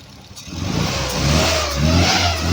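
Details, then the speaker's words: Home-built high-compression Triumph Spitfire 1500 (1977 block, ported 1300 head, small cam, twin SU carbs, Pertronix distributor) running cold: revs climb with a slight lingering hesitation after timing was reduced; still a little boggy but much improved, and the carbs probably need adjusting. "it already took a lot of that bog out of it just by removing some timing it's still a little boggy but way better than it was"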